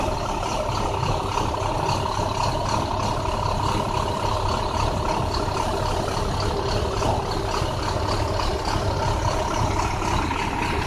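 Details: 2009 International bus diesel: rough, uneven idle with a lumpy, stumbling beat; bad engine misfire.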